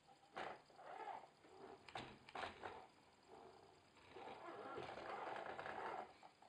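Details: Logitech Driving Force GT wheel, game sound off, at maximum force feedback strength: loose, uneven rattling and flapping bursts as if everything inside is loose; second unit with same noise, fault suspected.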